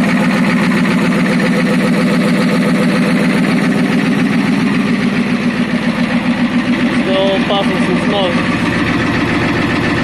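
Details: Ford F350 6.9L IDI diesel idling after an injection pump replacement, with an electric fuel pump fitted: even diesel clatter at a steady idle with no stumbling or hunting, though the owner suspects one dead cylinder.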